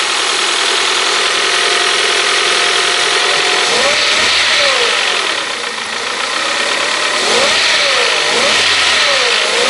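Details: 1998 Honda CR-V 2.0 petrol, 466,000 km, after crankshaft and bearing repair for a knock from a main bearing on the third journal. It idles evenly through two smooth rev rises and falls, with no tapping or knock. Normal idle.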